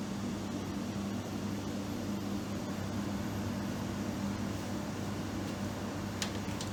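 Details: Late-1960s (possibly 1968) thinline 7,500 BTU window air conditioner running: soft steady hum, low even drone, no rattles, clicks or surges; compressor very quiet and smooth.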